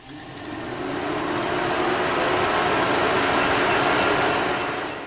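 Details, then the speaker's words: Car engine cooling fan, connector unplugged and powered directly with an Ancel PB500 power probe: steady even whoosh and faint whir, no rattle or scrape; fan spins normally. "now I will apply power and you can hear that engine is spinning okay"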